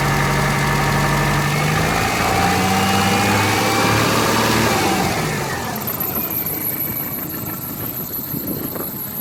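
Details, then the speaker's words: 2000 Subaru Forester S Limited, bone stock, cold start: idle settles from a raised speed to a steady, smooth 800 rpm, temperature still reading under cold, with no ticking, lifter or piston slap, or knocking; a healthy engine. "around eight hundred steady yeah revs very smooth"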